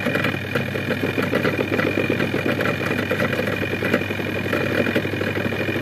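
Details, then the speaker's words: Zvezda washing machine with replacement spin motor, after the lid brake stopped the drum on opening and the lid was closed again: steady motor hum, even whir, no scraping, knocking or wobble; normal spin drum rotation. "To'xtadi. Kolodka ishlab ketdi. Krishkani bekitamiz. Aylanadi."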